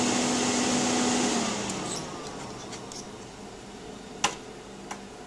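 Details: PowerMac G5 (A1093, single-core 1.8 GHz) won't start: loud steady fan roar with a faint hum that eases after a couple of seconds, no startup chime; cause was RAM banks not filled in pairs, and it ran again once corrected.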